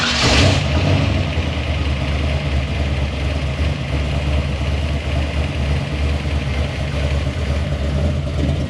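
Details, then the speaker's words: Monte Carlo engine swap V8, third start: catches and settles into steady, even low rumble, no knocks or ticks; oil pressure finally up and running well (front seal later suspected leaking). "the last video you saw was when we fired it up when we have finally had oil pressure everything was going good"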